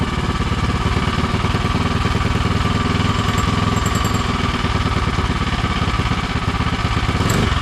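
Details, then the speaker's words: Predator 212 (Monster 212) single-cylinder in Mega Moto minibike, new thick-flange custom exhaust V2.0 with wrap, clutch cover off: quick even beat, soft muffled exhaust, no misses or rattles, super quiet; normal running. "Quiet it is. Super quiet."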